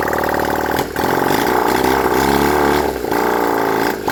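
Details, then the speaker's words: Honda CD175 single after timing set and engine refitted, no exhausts fitted: loud open-port idle running evenly, with brief dips as fuel runs short; engine runs normally. "I set the timing and everything else put the engine back in the bike um tried to start it it runs um not too sure how well it's running right now cuz I need to put on the"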